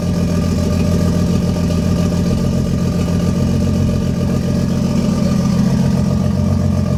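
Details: 1JZ-swapped Lexus IS300 first start after wiring harness work: steady six-cylinder idle with uneven, stumbling beat, a cylinder dropping out; misfire from a failed coil pack, later replaced.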